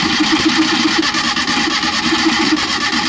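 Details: Maruti Suzuki Omni van in neutral, plug lead pulled for spark check: starter cranks steadily at about eight turns a second but the engine never fires, no spark at the plug; mechanic suspects a bad magnet sensor or ECM lock.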